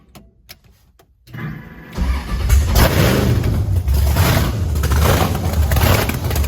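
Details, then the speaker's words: Blower V8 Camaro on methanol after fuel nozzle cleaning: clicks, then catches into a loud, deep, lumpy run with strong revs; sounds way better, though it then used five gallons fast and ran out of fuel as revved. "man it sounds good though sounds way better Sam was about to put it to the Chip sounds pretty good though"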